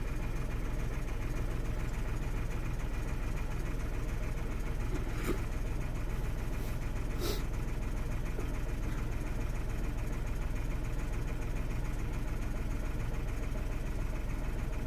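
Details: 2016 Renault Twingo 1.0 with engine and spanner lights, DTCs 013513 and 11501C, components disconnected: low idle with slightly uneven pulse, no misfire; running a little rough.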